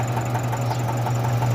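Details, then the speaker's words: Nissan NV350 diesel that stalled, just restarted after fuel filter work: steady low drone idle with soft regular knock about three per second, from air still in fuel lines, later smoothing out. "So bale una lang pala siya pumalya Ibig sabihin non Ay meron pa siyang hangin sa mga fuel line niya"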